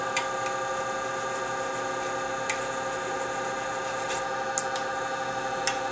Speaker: You hear the vibration out there. He's not happy out there.